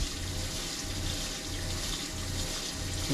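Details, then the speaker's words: Off-grid cabin rainwater catchment pump running with the accumulator removed: running tap over a low pump hum cutting in and out about 1.5 times per second; water pump surging without accumulator. "hear the pump surging, and you can see the water flow here."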